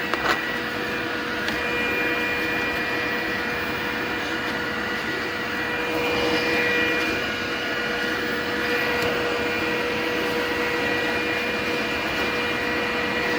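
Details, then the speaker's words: Glowforge laser cutter with Air Filter Attached setting off, all built-in fans enabled, rear exhaust unplugged: steady airy whir with constant mid-pitched hum, no wavering or rattle; normal fan operation. "then can you hear me blocking the fan? Okay. Stop it. So you hear that fan spinning down."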